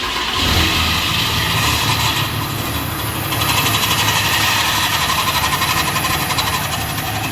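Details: Ram 3500 diesel (thought to be a 2013) with a history of rear main seal blowout: starts and settles with a rapid metallic rattle about four per second, which began about 1,100 miles ago; damaged flex plate.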